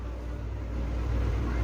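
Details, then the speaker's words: Electric fan motor that would not spin, tested with power jumpered to a capacitor wire around the thermal fuse: steady low hum as the motor spins up, confirming the open thermal fuse as the fault; overload and overheating blow these fuses. "sudah muter teman-teman setelah saya campur di salah satu kabel kapasitor berarti fix untuk ini adalah thermofuse yang putus"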